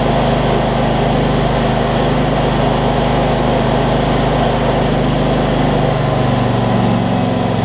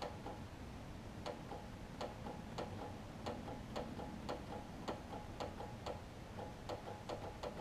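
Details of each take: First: John Deere LT166 riding mower with a retrofitted 46-inch deck, after sorting its starting issues including the solenoid cable: the small single-cylinder engine idles steadily and evenly with no misses, knocks or hunting. It sounds healthy. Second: John Deere LT166 mower with starting issues: sharp even click about three times a second, no cranking; battery reads 12.4 volts, battery to be tested next, otherwise a new solenoid suspected.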